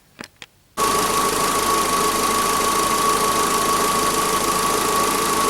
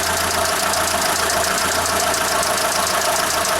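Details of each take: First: Mitsubishi Space Star 1.6 4G18 after replacing badly worn camshaft and rockers that caused top-end knock: steady even running under a thin whine, no valvetrain ticking; injector/gas fuelling still needs correction. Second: Mitsubishi Space Star 1.6 4G18 at idle, suspected hydraulic lifter noise, with slight misfiring as throttle is nudged: fast, uneven clattering tick under the valve cover; worn camshaft and pitted, scuffed rocker rollers found.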